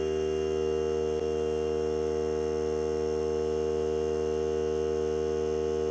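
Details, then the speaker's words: Hart cordless battery air compressor filling the tank: steady, even motor hum at one pitch, no knocks or rattles; three minutes to fill, cut-out at 120 psi; normal running. "Okay, she shut off. And that was right now. Took three minutes to fill. And she shut off at, it kicked out at 120."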